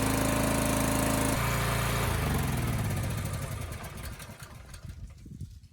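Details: Karcher 3600 PSI pressure washer with a 13 hp Honda GX390 single, test run outside after its flooding, gas-leaking carburetor was cleaned: runs even and steady, then winds down; no misfire or knock, running normally.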